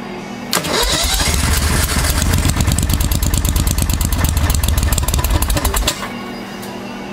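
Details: 1992 Club Car golf cart with V-twin Briggs engine, sitting about 6 months, just fitted with a CVTech replacement driven clutch: rapid cranking chatter for about five seconds, engine trying to catch but not settling; hard starting after storage, eventually runs.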